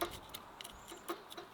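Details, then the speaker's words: 1959 Case 300 tractor generator fed power to motor it: faint irregular regulator relay clicks, no spin; generator armature and field windings burned out, needs rebuild. "That's not a good sign that I can hear the regulator clicking and nothing's spinning over here. That's not a good sign."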